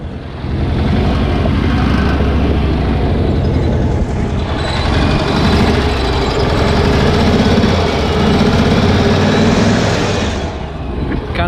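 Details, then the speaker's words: Cushman Truckster small engine with new 10si alternator, started with choke partly on: uneven lumpy chugging at about three and a half beats a second; running rough, cause unclear, while alternator is heard charging. "of running weird right now, might pull it out, but you can hear the alternator charging."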